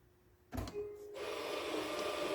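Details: 1st gen Kia Soul EV rear electric parking brake, one side unplugged during brake and wheel bearing replacement: short click, then a small motor whirs steadily at even pitch as the other side applies normally at switch-off.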